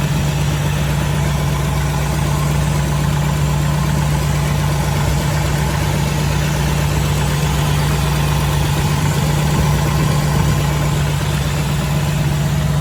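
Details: 1984 Jeep CJ7, frame-off restored, petrol engine: starts easily and holds a steady, even low hum with clean, unchanging pitch and no misses or knocks; normal, healthy idle.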